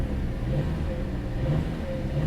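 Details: Car at a salvage auction yard, in gear with light throttle blips: steady, smooth engine hum swelling gently, no knocks, ticks or whine; ABS and traction lights on, but it sounds healthy.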